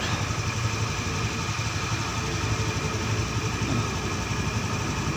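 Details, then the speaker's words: Honda Scoopy fuel-injected scooter after engine overhaul and ECU reset, coolant sensor at 47°C, battery 11.4 V, injector at 3.2 ms: a steady, soft, even idle putter that is slightly low but normal, with no knocks. "mesinnya e masih agak kekecilan tapi udah normal si ini"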